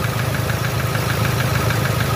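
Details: 2007 Toyota Hilux 3.0 diesel idling with a hard, rapid knock over the clatter, first judged a connecting-rod knock; teardown found a burnt head gasket and the number four piston seized in its bore.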